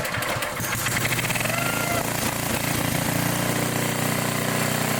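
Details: 1960s Bolens Lawn Keeper 28-inch mower, carburetor not yet adjusted, untouched for at least 15 years: small engine chugs at a fairly steady pace under mowing load, no sputter or stalling; running fine.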